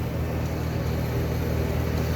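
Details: 1976 Eaton Viking dehumidifier with homemade plywood front panel, after panel vibration fix, collecting water: constant low hum with steady fan rush, no knocks or rattles; running smoothly.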